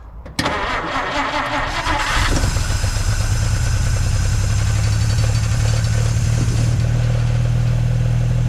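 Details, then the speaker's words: 1950 Dodge Meadowbrook six on a 6-volt battery, started with gas poured into the carburetor: brief cranking, then a clean catch and a smooth, steady idle. Oil pressure and generator gauge are fine, about 115–118 at the back of the block. Normal start and idle. "That sounds pretty good. The oil pressure is good and the alternator or the generator gauge is fine."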